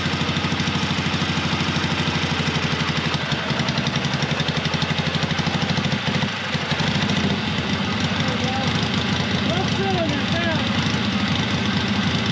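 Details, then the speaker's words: Long-stored 1970s Onan RV twin-cylinder gas generator, running without a muffler after transmission fluid freed a stuck valve: loud, even, rapid popping from the open exhaust with no skipped beats, both cylinders firing. "so yeah as y'all seen when I poured that uh transmission fluid in there it went to running good so like that other valve got unstuck so that is great that both cylinders are working"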